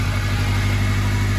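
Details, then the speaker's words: 2006 Acura RSX with a swapped K20 engine from a Japanese Honda Stream, plugs not yet changed, first start: steady, even low idle with no knocks or misses, a little smoke burning off; the engine sounds healthy. "woo she's running good I see a little bit of smoke stuff burning off there"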